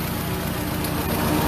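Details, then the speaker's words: Engine after replacing worn ignition wires with new ones: low, steady, quiet idle hum with no ticks or misses; normal idle. "seems like seems like everything's working pretty good as i said it actually sounds like it's actually running pretty quiet all right now"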